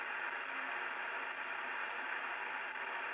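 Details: Amateur radio FT-4 indoors on 2 m band, open repeater: steady hiss and static under the received signal with no quiet background; band interference (QRM) of unconfirmed source.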